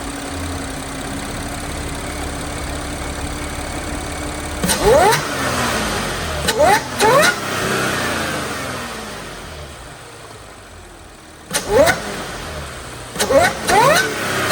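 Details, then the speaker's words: B8.5 Audi S4 3.0T supercharged V6, manual, with the stock exhaust, stationary revving: quick throttle blips bring a supercharger whine that climbs with revs and drops away; normal and healthy. "After I do the exhaust, it's going to be a lot harder to hear the supercharger whine, but with the stock exhaust, it's awesome."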